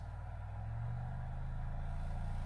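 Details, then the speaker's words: Infinity SM62 bookshelf speaker woofer after rotted-surround replacement, driven by a Leader LAG120B signal generator sweeping about 20–40 Hz: a deep, steady, slowly rising tone with clean, even output and no rattle or buzz. Normal low-frequency playback. "40. Yeah, I can feel 40. Things are starting to vibrate."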